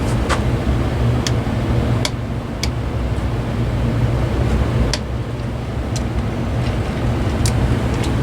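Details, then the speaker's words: Lakewood DX series fan after the bearings were freed and the motor was tightened as far as possible to stop misalignment against the stator. A steady low hum with only light handling clicks; it now runs evenly and sounds fine. "okay, that sounds pretty good like that. Okay. Alright, that's as tight as I can get it to go. Sounds fine to me."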